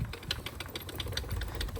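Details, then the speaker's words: 2006 Yamaha YFZ450 rolled by hand: uneven clicking rattle timed with the brand-new chain from the lower rubber chain roller, whose bearing has lots of play; worn chain roller bearing. "That noise is pretty much just rolling down here. I believe the bearing inside of the rubber roller, you know, is bad. There's a ton of play."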